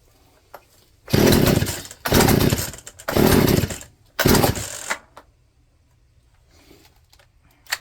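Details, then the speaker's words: Poulan P3416 34cc chainsaw with new out-of-box Hipa C1M-W26 carburetor: catches in four ragged one-second bursts, revs surging and sagging then dying; carburetor needs mixture adjustment. Rough running. "Definitely needs adjustment. >> No, looks like it's going to need adjustment out of the box."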